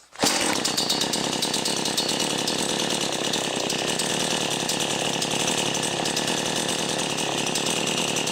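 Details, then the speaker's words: Brand new XtremepowerUS 45cc two-stroke chainsaw on mixed fuel, warm start after cold start: catches at once and holds a steady bright buzzy run with no stumbling or sputter, no longer smoking; healthy and ready to cut. "But again, this is the switch, and now it's kind of warm, so it's going to start."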